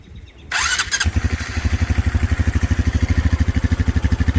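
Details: Honda Trail 125 (CT125) after fitting a 164cc big bore piston and cylinder and a bigger fuel injector, running a 181cc fuel map, first cold start: brief starter whir, then a quick, even, smooth idle; normal cold start.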